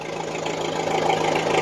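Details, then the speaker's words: 480 diesel idling after cleaning corroded battery terminals: a steady, even, smooth low hum with no knocks or misses, running cleanly. "fire's right up fire's right up on its own now"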